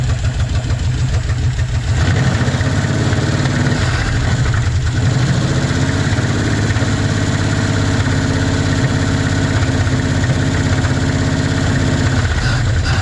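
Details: 1956 Chevy 150, just revived, idle; light fast ticking over an even low idle, valves need a little adjusting: valve clatter from valves needing adjustment.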